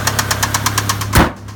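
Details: Mazda Miata idling with a sharp, even knock about eight times a second. Teardown found an entire rod bearing missing. Rod knock.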